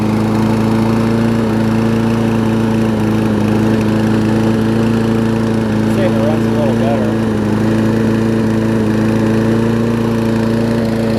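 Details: Toro self-propelled mower with Kohler engine, after cleaning the spark plug with carb cleaner to restore spark: steady, even drone at constant speed with no surging, misfires or rattles. Runs cleanly, though it smokes a little at times.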